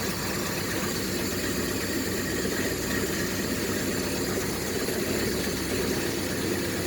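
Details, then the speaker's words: 1967 El Camino, 427 big-block V8 with an MSD Atomic EFI throttle body, about 100 miles on the EFI, first cold morning start at 62°F: settles into a steady, even, lopey idle; normal cold-start idle. "temperature 62 degrees this is the first start in the morning"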